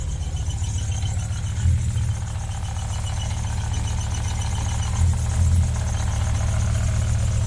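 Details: Ford Focus ST 5-cylinder, new MAF sensor fitted, just started: rough, uneven idle with occasional stumbles where the beat sags and recovers; misfiring and bogging down, not solved.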